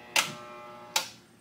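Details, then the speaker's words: Skutt 818-3 electric kiln just started on a cone 04 bisque firing with no hold: two sharp relay clicks about 0.8 s apart over a faint hum, normal element switching. "that's normal that's what it's supposed to do"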